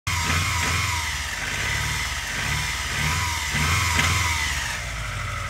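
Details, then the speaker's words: Mitsubishi Galant 6 4G37 engine with a lumpy, uneven idle and stumbling low pulse; the misfire and cylinder-cut tests indicate a head gasket blown between cylinders 3 and 4. "поэтому можно сделать вывод пробой прокладки между третьим И четвёрты"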